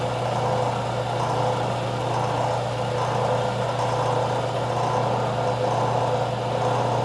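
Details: Craftsman 101 12-inch lathe motor after fix: end housings removed and rotated a quarter turn, capacitor wire extended. Smooth, constant low hum at steady pitch, no knocking, scraping or whine; motor runs clean.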